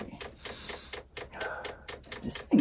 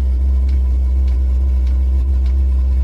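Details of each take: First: Chinese diesel air heater fuel dosing pump in Eagle bus conversion, after fixing fuel line with air bubbles moving toward heater: light regular soft ticks a few per second, louder if touching a surface; normal fuel pump ticking. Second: Chinese diesel air heater on an Eagle bus conversion, running with flame: loud steady low growl with faint pulse about twice a second from the combustion air inlet because the intake muffler was not fitted.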